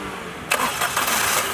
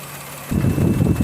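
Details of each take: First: 2016 Maruti Suzuki Celerio VXI after fixing cylinder 3 misfire caused by faulty ECM: starter whirs briefly, engine catches cleanly and settles to an even smooth idle with no stumble. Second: 2016 Maruti Suzuki Celerio VXI, customer complaint of misfire on both CNG and petrol: uneven stumbling idle skipping like one cylinder dropping out; cylinder 3 misfire, coil and plug already replaced, later traced to faulty ECM.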